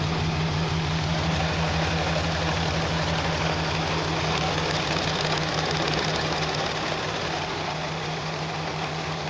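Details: Audi A7 at idle with misfire code P0306 (cylinder 6) and cylinder disabling code P130A: uneven, stumbling beat with a periodic hiccup in the exhaust rhythm; one cylinder misfiring.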